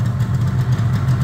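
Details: Yamaha RD350 LC F2 power valve two-stroke, about 13k miles, choke off and warming up: steady low burbling idle with slight wavering, no knocks or rattles; healthy idle.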